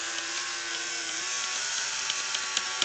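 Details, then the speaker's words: New Bright Holiday Express train: a thin, steady high-pitched animation motor whir runs nonstop while the locomotive sits still. Sound, most lighting and running don't work, and forward/reverse do nothing; the owner suspects the tender. Cause unconfirmed. "I don't know, it's almost as if it's stuck in a non-stop loop, animation loop."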